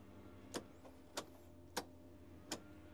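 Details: 2005–2015 Mazda Miata MX-5 NC that died while driving, immobilizer light blinking and no PCM link, after fitting a VIN-programmed replacement PCM: four faint clicks, no cranking; still no-crank, battery cable connection suspected.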